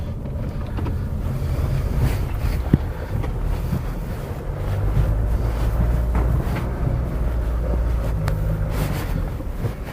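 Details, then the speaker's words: Nissan X-Trail on the road after wheel bearing replacement: steady low road rumble with some wind buffeting, none of the droning that previously came through the car. "I've got the right wheel bearing first time normally you hear the droning coming through the car"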